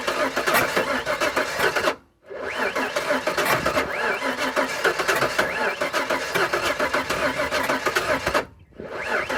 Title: 98 ranger no start